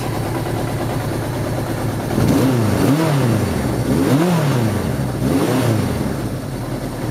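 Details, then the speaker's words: Suzuki GS1100 G first start after carburetor strip-down and cleaning, valve clearances done: three clean throttle blips rise and fall smoothly over a steady tick-over idle, crisp response, no misfire; oil leak still present; healthy revving. "fresh clean carburetors valve clearance is done just listen to this come on pretty cool tick over"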